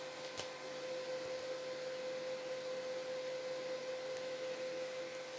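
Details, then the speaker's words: Used desktop PC bought not working: from power-on a constant loud whir with a thin steady tone around 550 Hz; fan far louder than normal, cause unknown. "Oh ini nyalah nih itu baru nyala De kencang amat"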